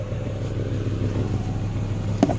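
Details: 1994 Acura Vigor GS at idle before exhaust pipe replacement; steady low idle with faint puffing chuff on the exhaust note from a hole in the exhaust piping.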